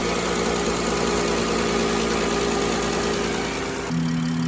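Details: 2011 Chrysler Town and Country 3.6L V6 after replacing an early-opening thermostat, idling while coolant bleeds air from the topped-off radiator: smooth steady low even hum, no knocks or misses; normal idle.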